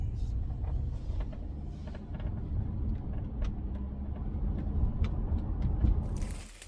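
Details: Mercedes-Benz E250 driving: sharp irregular cracks and creaks from the panoramic sunroof over heavy road rumble, worsening over time and now constant; fixed by removing the rubbers and grab handles to reach the sunroof.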